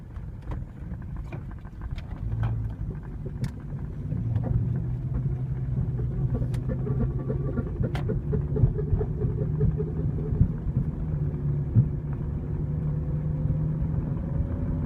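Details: Toyota Camry driving with deep road rumble and sharp, irregular clicks on top; bad CV axle suspected, not confirmed.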